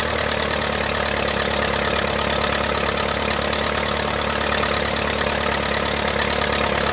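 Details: 1959 Case 300B (311B) tractor with front bucket, simple 4-cylinder gas engine, parked outside 10 years after overheating from a stuck thermostat; holds an even idle around four beats a second, no stumbling, running steadily.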